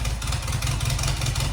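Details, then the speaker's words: Barn-find 1977 Fiat 124 after brake and fuel-line work, running on fresh gas with fuel dribbled into the carburetor: lumpy, uneven low idle, starts easily but runs on only three cylinders, a dead-cylinder misfire. "not bad for only three cylinders"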